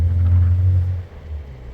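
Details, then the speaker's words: BMW 335i N54 twin-turbo with ARM relocated inlets and 3-inch catless downpipes: deep exhaust rumble dropping off as throttle closes, no wastegate rattle after MHD tune setting holding wastegates with slight vacuum. "No more rattle there. I'm glad that's what that was."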